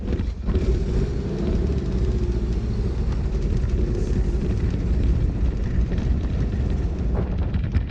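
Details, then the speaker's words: Porsche 914 2.0, bought unseen, after new exhaust and battery only, not yet tuned, after a drive: deep unsteady rumble that wavers and won't settle, engine doesn't want to idle; rough idle, tune-up needed. "Now it doesn't want to idle. Needs a tune up. It's not running right."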